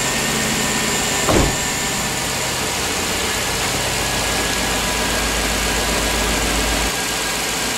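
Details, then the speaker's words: 2007 Chevy Tahoe 5.3L V8 after engine replacement, first start with parking brake on: short crank, catches cleanly and settles into smooth steady idle with no misses, knocks or ticks; no leaks or check engine lights. "I don't see any leaks. Look up front. But there sounds like a new engine. Awesome. No leaks. No check engine lights. Nothing."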